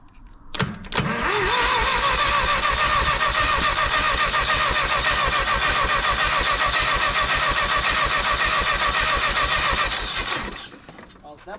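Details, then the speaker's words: Minneapolis Moline UTU tractor bought at auction, first start on LP after cleaning distributor points and fixing a bad starter solenoid connection; popped off on ether, cranks briefly, catches and holds a steady even idle; a healthy start. "So, I flipped the ignition button on, hit it again, and it popped off on ether and took right off on LP."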